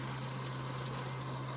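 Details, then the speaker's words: 2008 Prius with 5.3L LS V8 swap, key on before first start: steady low fuel pump hum with fuel splashing into the jug; pump delivering fuel normally. "go up there and tell me when you can hear fuel running is it like going to be little splashes yeah you'll hear it splashes"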